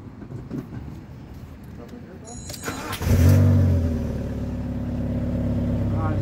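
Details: Fiat Punto HGT engine, after knock following a hard pull and replacement of a failed ignition coil, cranks and catches cleanly, then settles into a smooth, steady idle with a light rev.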